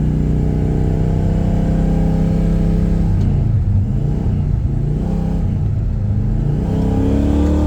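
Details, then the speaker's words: 1972 Pontiac LeMans with a replacement 400 engine and automatic transmission, warm after drag-strip pulls: engine note climbs and hangs high, dips, then rises without pulling harder, with third gear slipping or semi-neutral; new problem, cause unknown (owner wondered about cold earlier); transmission slipping. "Well, we got it that time, but it's slipping pretty good."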